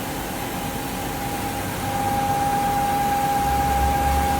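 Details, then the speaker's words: Fiat Argo engine at regular idle with a loud steady high whistle in the engine area that stops when a cover is opened; air sucking past a torn PCV valve diaphragm. "Barulho localizado aqui na região do motor. A gente barulho muito forte. Motor funcionamento regular."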